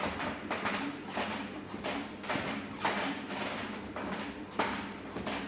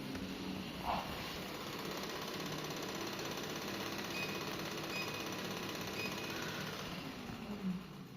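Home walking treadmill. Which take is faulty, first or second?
second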